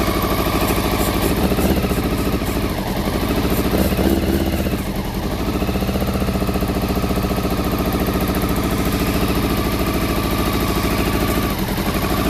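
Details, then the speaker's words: Honda CBR400RR NC23 four-cylinder, just started on petrol poured down the fuel pipe plus carb spray, water leak: lumpy, uneven loping idle, firing only on cylinders one and two; three and four stone cold, not firing. "right believe it or not that was only firing on cylinders one and two um because that's hot that's hot them to a stone cold so uh so three and four are not firing"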